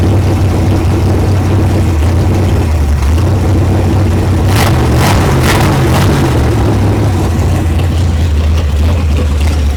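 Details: 1973 Mercury Cougar 351 Cleveland revival, carb unrebuilt, fuel poured down line to prime: low, lumpy idle sagging and wavering, runs briefly then dies; owner suspects bad cheap clicky fuel pump.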